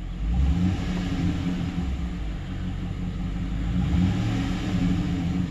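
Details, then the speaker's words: 2008 Silverado 5.3 V8 with DOD/AFM, after collapsed lifter replacement for cylinder misfire: deep steady rumble at idle, no stumble, surging or high RPM; misfire gone, normal idle. "Sounds really good. One thing to look for is like high RPMs or surging."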